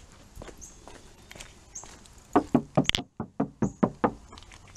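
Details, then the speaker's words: Door knock test on a BMW Z4 after under-$20 DIY sound deadening of the door: about ten firm, dull short thuds without ring, panel well damped and solid, versus the untreated side that sounds like a tin can. "and listen to this sounds like a solid door now"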